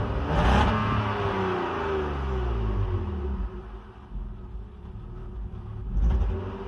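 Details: BMW E39 520i six with original ignition coils at 179k km: revs up and drops back unevenly with a stumbling pulse; misfire from failing coils.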